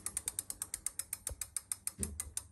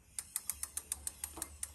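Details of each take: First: Avid BB5 mechanical disc brake on a bike, wheel spun by hand while adjusting the moving-side pad: only even freewheel ticking as the wheel coasts, no scraping or hiss from the disc; normal, no brake rub. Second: Avid BB5 mechanical disc brake on a bike, wheel spun by hand during adjustment: light rhythmic scrape-tick about seven times a second as the fixed-side pad rubs the disc; fixed by turning the pad adjuster counterclockwise notch by notch until rubbing stops.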